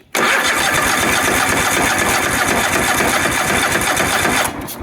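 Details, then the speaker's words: Engine started with an EverStart 1000 A jump pack, clutch in: brief crank, then it fires straight away and runs strong and even. "That seems pretty [Music] good. Fires up, comes alive."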